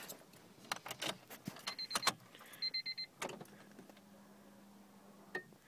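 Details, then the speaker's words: 1999 Honda Civic at key-on after a cold night: clicks, then a faint steady low hum for about two seconds as the fuel pump primes normally; car won't start cold, starts fine warm, hesitates on acceleration. "so that was the sound of the fuel pump engaging"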